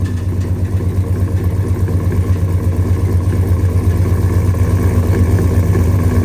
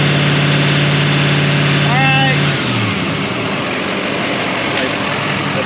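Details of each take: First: Gasoline engine with K&N intake and headers (owner reads it as a 5.3): loud, heavy idle with a hard, regular beat under the exhaust note until shutdown; a spun rod bearing knocking in the bottom end. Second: 2020 Chevrolet Silverado 3500 L5P 6.6 L Duramax turbo diesel with new Banks turbo pipes, run to check the lower pipe for leaks: even high-idle rumble and a brief rev, no hiss of escaping air; good under boost.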